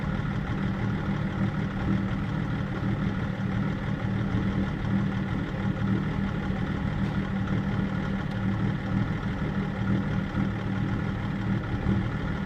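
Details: BMW E39 530d diesel at idle, INPA values checked: loud steady clatter with a slightly uneven low throb; rough idle, cause unclear.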